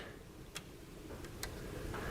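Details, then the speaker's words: 2000 Pontiac Trans Am with an overheating complaint, fan relay bypassed with jumper power and ground during diagnosis: a few crisp, sharp clicks over a quiet background as the relay pulls in normally, so the fans should run. "awesome i heard it click and um yeah that should do it all right we should get some fans working now"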